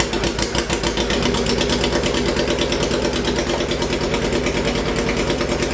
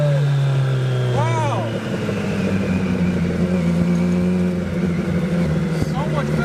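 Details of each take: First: Hayabusa-swapped 1970s electric CitiCar at idle with two ignition coils swapped: rough uneven idle with irregular sharp pops through the exhaust, two cylinders not running; misfire with backfiring at idle. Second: Hayabusa-swapped 1970s electric CitiCar after changing fuel-smelling oil, driving: strong steady drone holding firm under load, pulling smoothly without stumble or miss; normal acceleration.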